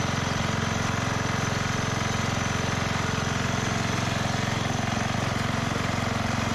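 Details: 1991 MTD 12/38 riding mower, received free and getting a rattle-can restoration: it fires right up and ticks over at an even, steady idle with no misses or knocks. Normal idle.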